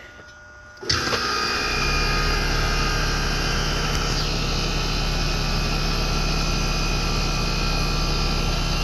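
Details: American Standard AC unit that kept tripping the breaker and running hot, after a weak capacitor was replaced with a new 35/5: compressor and fan start sharply, then settle into a steady even hum and whir without rattle, normal running.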